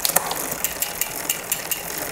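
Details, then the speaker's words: Shimano XT 8000 rear derailleur after tightening the B screw about another half turn to move the upper pulley away from the big cog: crisp, even freewheel ticking, quick upshift, no more rubbing. Normal, quiet shifting. "was nice when we up shifted I heard no more River sound and it jumped up quickly and it's quiet well we're in that gear that's exactly what we're looking for"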